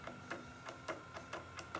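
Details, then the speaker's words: Fuel stop solenoid on a Cummins-converted Land Rover Defender 127/130, bench-tested with just over 12 volts from the battery: crisp clicks about every half second as the plunger snaps in and out on its own; works normally. "put 12 volts onto it with this wire and you can see they're sucking in that's not me doing it my finger"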